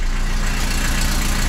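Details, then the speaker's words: 1989 Volvo 740 petrol engine idling at about 800 rpm just after fuel pump replacement: steady, even low hum with no crackle, grinding or whine from the new pump; healthy normal idle. "насоса не слышно Ну в плане он не трещит всё работает 800 оборотов отлично"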